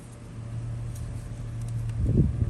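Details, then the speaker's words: 2007 Toyota Tundra 4.7L SR5, warm, wheels off the ground, after replacing the power steering pump, pressure line and V-belt: a low steady hum at idle that swells briefly as the wheel is turned left and right, with no squeal; normal pump hum. "you make a humming noise that's fine and then you're coming back to the other side make another noise"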